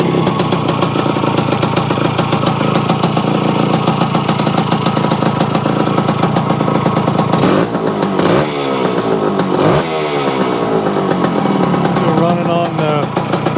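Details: Yamaha AT-1 converted to CT-1, first start-up after rewiring, oil pump priming and carburetor fix (suspected sticky float or debris under needle), choke on, pre-mix fuel; crisp ring-ding idle with clean blips rising and falling freely, even and responsive, normal.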